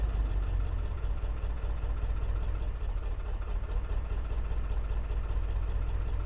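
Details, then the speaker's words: 2002 Ford F250 7.3 Power Stroke diesel after priming fuel with key cycles: a deep, lumpy, uneven idle; code P1316 points to a failed injector driver module, which is being replaced along with the ICP. "fingers crossed that is not sound healthy at all thank you oh that is very not happy"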